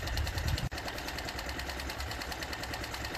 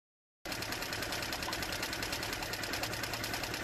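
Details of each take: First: Mercury/Tohatsu 4/5/6 HP four-stroke outboard with just over 10 hours of running, during its annual service: quiet, quick, even ticking at steady speed with no misses. The cooling water jet is very good, so the engine sounds healthy. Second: Mercury/Tohatsu 4/5/6 HP four-stroke outboard with just over 10 hours of running, at fast idle with the choke left fully pulled after it fired: busy, slightly uneven clatter while it runs rich. The choke should have been pushed in earlier.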